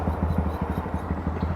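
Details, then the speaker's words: Honda Grom back on the road after a crash, engine not running its best: rhythmic low scraping pulses about six to seven a second over the small engine, a weird rear brake noise, cause unknown. "Back on the bike, even though it's not running the best. The back brakes are making a really weird noise."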